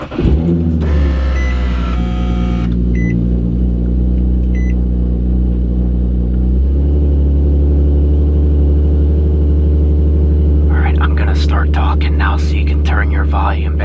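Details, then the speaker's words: Infiniti G37, catless exhaust, after exhaust leak repair, cold start: loud deep even drone with fast high idle, no ticking or puffing, only catless noise; exhaust sealed, normal cold start. "the only thing we should hear is some catless noises that's really it"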